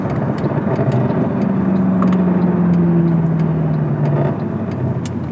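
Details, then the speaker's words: 2011 Mercedes E63 AMG W212 M156 V8 with H-pipe resonator delete, hot, decelerating and downshifting; intermittent metallic rattle heard in cabin, wear marks showed exhaust knocking on cross member; drive shaft, center bearing, differential checked fine. "With that out of the way, there was one last thing to diagnose, which was an intermittent rattling sound when decelerating and gearing down when the car was hot."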